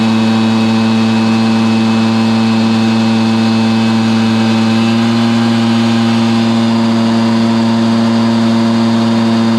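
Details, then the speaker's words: Stihl BR430 blower after the bogging fix: carburetor cleaned, then the high-side carb limiter adjusted. A strong, steady high drone holds at full throttle with no bogging or surging, so it is running healthy. "okay there you have it man it was a struggle trying to figure out exactly what what was causing this bargain down on this steel br430 leaf blow but we discovered it"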